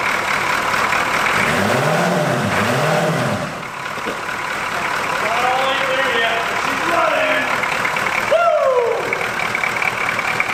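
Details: Abandoned 1981 Buick Century with a 350 diesel, first start after bleeding air from the injector lines. Glow plugs don't work and one is unhooked; the engine clatters and lopes unevenly, not firing on all eight cylinders: misfire, rough running.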